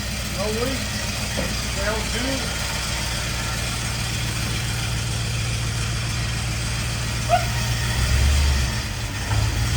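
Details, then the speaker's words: 1951 Chevy with LS swap V8 on its first start: uneven, loping idle with a choppy low beat and no smooth V8 rhythm, running on only four cylinders because one bank's injectors aren't firing; harness later swapped side to side. "So, when you guys heard this thing are running, it was literally only running on four cylinders. And uh this whole side over here, the the injectors aren't firing right."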